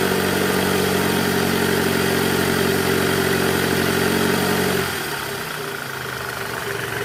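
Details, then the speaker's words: 2008 Toyota Camry 2.4 V, 2AZ-FE, in R with throttle around 1200 rpm (before repair): steady low growl/drone over idle; weak accessory belt tensioner spring, fixed by replacing the tensioner, noise gone after. "Jadi kita mau ganti Tensioner si partnya kita udah siapkan bunyinya ini ngorok jelas banget ya"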